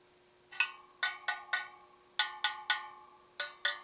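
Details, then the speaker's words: Motorcycle wheel on a truing stand during spoke adjustment: tapped spokes ring with clear metallic pings, one sounds a touch lower and duller and feels loose, a loose spoke. "You hear that one's just a little bit lower, and it feels a little loose too."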